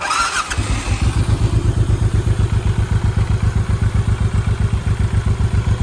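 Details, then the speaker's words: 2007 Honda VTX 1800R3 motorcycle, sat for a while, fresh oil; fuel pump primes, brief starter whir, then it fires at once into a steady, deep, even idle of about four beats a second; normal cold start and idle. "So turn the key, turn the switch on, and hear the fuel pump kick in there, and then give it a start."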